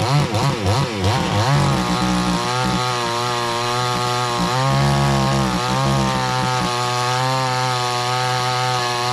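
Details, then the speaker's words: Cheap $129 62cc Garwinner Chinese chainsaw, compared against a Husqvarna 460 Rancher, bogs in the cut with a droning, wavering note that never reaches a clean high scream. It isn't opening up fully; owner plans to tweak the carburetor after more run time. "As you can hear, the saw isn't quite opening all the way up. So when I go back to sharpen the chain, I just want to get a little time on it. I'll tweak that a little bit and we'll get that thing opening up, and I'll bet you it'll be a heck of a ripper."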